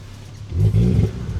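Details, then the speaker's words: Ford Focus ST-2, 99,000 miles, just bought as spares or repairs, started about 10 minutes after last run, pouring black smoke with engine light on: rough, lumpy revving that swells then stumbles unevenly; bad engine misfire. "Yeah, there you go. Look. So, it's really badly misfiring."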